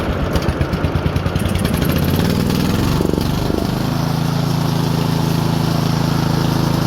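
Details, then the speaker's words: Lawn tractor engine after moving the governor spring over one hole, targeting about 3600 rpm: uneven chugging climbs, then settles into a steady, even drone; proper governed engine speed. "Yeah, I can live with that. That's not too bad."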